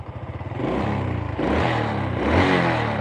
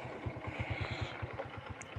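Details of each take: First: Honda Supra 125 motorcycle that slipped, was hard to start in the morning, smoked and crackled, after cleaning: repeated throttle blips rise and fall cleanly with no sputter or misfire; healthy revving. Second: Honda Supra 125 motorcycle after overhaul, no more ticking or stumbling on throttle blips: slow, uneven putting around seven beats a second, lumpy and near stalling; idle set too low, possibly below 1000 rpm.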